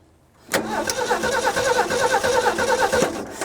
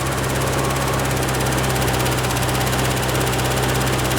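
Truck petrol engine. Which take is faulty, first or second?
first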